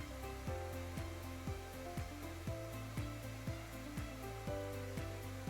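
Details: Semitool spin rinse dryer, low-rpm dry near cycle end: steady motor hum with an even pulse about twice a second, no rubbing or knocking; normal low-speed dry spin.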